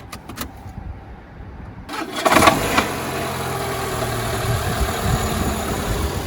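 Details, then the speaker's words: Renault Megane 2 with DP0 automatic gearbox at engine start: harsh metallic knocks on cranking and catching, settling into rough idle, from a broken automatic-transmission flexplate. "при запуске жестки такие щёчки жесткие удары вот они даже сейчас еще есть"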